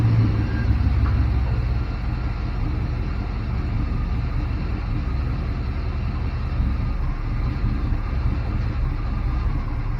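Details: Barn-find Chevrolet C10 V8, unused 17 years, after fixing the stall by resetting timing to zero from 37 degrees over-advanced: even, steady low rumble holding idle without stumbling or dying.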